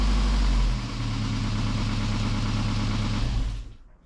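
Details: Austin Allegro classic car after homemade exhaust rebuild with Peugeot 207 rear mount: deep, steady exhaust note for about three seconds, no blowing or rattles, then clean shutoff; sounds healthy.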